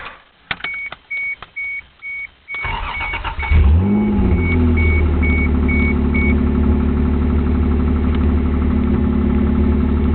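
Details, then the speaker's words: 1989 Toyota Supra 7M-GE, key on, cranking and starting to idle. A light pecking/ticking is not a rod knock but a damaged spark plug wire under the intake butterfly, arcing. "If you can hear that pecking noise, it's actually not a rod or anything. It's actually one of the spark plug wires is messed up."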